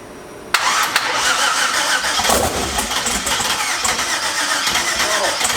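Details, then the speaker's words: Engine after flipping a bracket and correcting swapped wires: catches and runs rough, clattering and ragged at about 1200–1400 rpm, throttle-adjustable, only while starter engaged, dies on starter release; cause not yet found, wideband considered. "it's just weird that like as soon as you let up off the starter even if the car is running at 1200 rpm it just dies"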